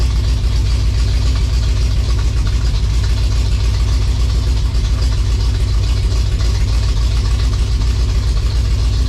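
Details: 1956 Chevy V8 hot rod, first runs after revival, high-stall converter; loud idle with a slightly uneven, loping beat of three or four pulses a second; owner hears a definite miss, cause not confirmed.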